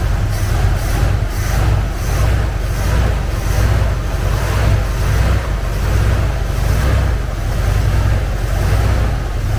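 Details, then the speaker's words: Carbureted Ford Bronco, cold, choke not yet adjusted, mixture screws being set for lean best idle: low, steady idle with a mild regular lope, almost holding idle, no misses or stumbles. "it almost wants to idle"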